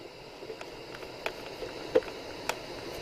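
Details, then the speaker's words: Hacker Sovereign 2 RP25A portable radio on batteries, aerial up: tuning gives only soft steady amplifier hiss and a few clicks, no stations, bass and treble not working; faulty waveband push-button switch. "no stations so i'm that's unusual bass and treble not working either but there is hiss from the amplifier"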